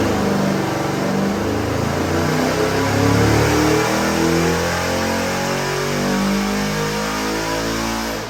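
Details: Customer's freshened 441ci LS7 stroker V8 (re-ringed, new bearings, heads redone, new port-matched intake, same cam) on the dyno, final pull to 6,500 rpm; clean even roar climbs steadily in pitch, no misses or knocks, a normal full-throttle pull.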